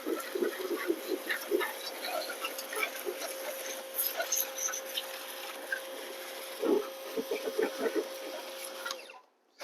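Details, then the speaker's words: Pressure washer durability test: steady mid-pitched motor hum under water splashing and spray bursts, then cutoff; still running normally after holes were busted in its plastic sides and it got wet. "Still running. So that's good."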